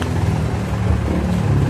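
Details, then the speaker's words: Mitsubishi Montero after replacing both rear brake pads: low steady engine and tyre rumble during sudden stop, no brake squeal or grinding; noise fixed. "Oh 'di ba mga boss? Wala na siyang ingay dito sa preno."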